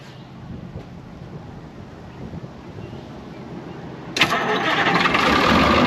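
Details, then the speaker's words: Brockway 358 truck, Cummins 555 diesel, after valve adjustment, loose injectors and intake valves tightened, starting fluid in intake: fires about four seconds in, settles into even steady rumble, no ticking; idles well, much better than before. "so i'll be honest with you it sounds so much freaking better all i did was literally all that i really did was we just adjusted whatever injectors were loose and uh tightened up pretty much all the intake valves"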